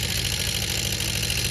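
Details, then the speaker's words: Honda CB400 Four under restoration, electronic ignition working, timing chain not yet adjusted: even idle with a light quick ticking over the exhaust beat. Tappy top end; owner suspects the timing chain, unconfirmed. "Electronic ignition is working. I don't know, a little bit sort of tappy. It might be the timing chain that."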